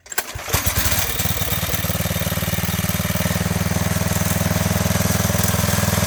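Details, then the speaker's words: 1985 MTD two-stage snowblower, single-cylinder engine run with half the housing off after a carburetor adjustment: brief crank, then a steady, even putt at about four beats a second; runs smoothly. "Okay, so now we're going to check out the other half of this thing, and it has actually, it ran and everything. I just had to adjust the carburetor a little bit"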